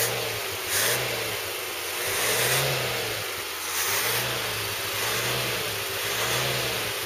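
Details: Ford Cortina Mk3 with newly rebuilt 2.0 Pinto engine on start test, open raw exhaust, no load; blips rise and fall cleanly with no knocks or misses, normal revving.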